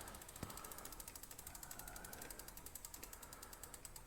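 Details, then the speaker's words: Himiway D7 full-suspension e-bike with a 1000 W motor, rear derailleur shifting on the top gear: fast, even chick-chick ticking as the chain chatters against the cog, and it jumps gears. One click down dropped two; cable play is suspected. "Hear it kind of like chick, chick, chick, chick, chick. Something's not quite where it needs to be. And then it jumped too."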